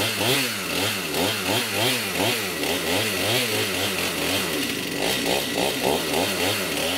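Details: STIHL MS291 chainsaw, hard to start, bogs and won't idle: when throttled down the two-stroke surges and sags in a loose wavering rhythm and can't hold idle, caused by a scored piston, cylinder and rings, with the piston top broken.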